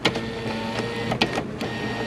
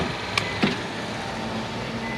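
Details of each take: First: Nissan Versa front door window: the motor hums steadily with sharp clacks, so the motor is good and the window regulator cable is broken and needs replacing. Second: Nissan Versa after replacing the front window regulator, tested before refitting the door panel: steady even motor whine as the glass travels with a clean clunk at each end; the window works properly.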